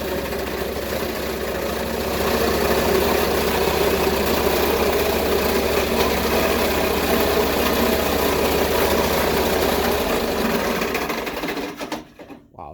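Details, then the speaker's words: Sears loader started: ragged, uneven idle with a rattly, lumpy beat near four pulses a second before shutting off; it sounds very bad, cause unknown. "That does not sound good. That sounds like death."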